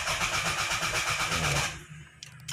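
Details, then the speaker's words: 1993–97 Toyota Corona 3SFE, fuel pump confirmed working, distributor swapped, fuses checked, check engine light on: even starter cranking at about six beats a second that never catches; crank no start, no spark, owner suspects faulty ECU. "anong start mo, ayaw. So, hula ko computer box na."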